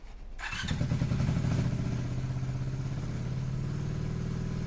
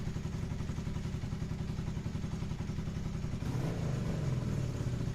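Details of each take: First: Motorcycle before repair: engine fires and revs high, and the revs hang there, sinking only slowly; after the fix it idles properly and drops back when revved. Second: Motorcycle after carburetors removed and bench-synced then reinstalled; steady low even thumping with slight rev lift near the end; running smoothly, still a little lean but much better.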